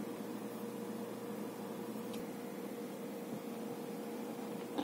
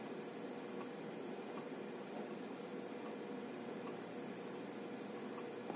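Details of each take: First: Faint, steady mid-pitched hum with no clicks or scraping from a 3 TB Hitachi 3.5-inch hard drive in an AgeStar 3UB3A8 USB external enclosure; drive spinning normally and sounds healthy. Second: 3 TB 3.5-inch hard drive in an AgeStar 3UB3A8 USB enclosure while loading data: faint regular ticks about every 0.75 s over soft hiss; it did not click inside the PC, possibly insufficient power. Hard drive clicking.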